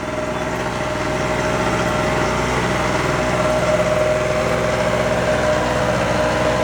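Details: Harbor Freight Storm Cat 800 W (900 W peak) generator, warm, started before powering a Haier 6000 BTU window air conditioner: steady even high-pitched buzz with constant note, no surging or misfiring; normal running, no load.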